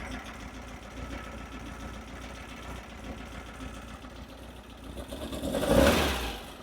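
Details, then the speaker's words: Engine with dual Weber IDF carbs after synchronizing and adjusting mixture screws (set 1.5 turns), starting with cylinder one: quiet even idle, no hunting or stumble, brief knock near the end; now running far more consistently. "I don't know if it comes across on my mic very well so I hope you heard it but it's running way more consistently"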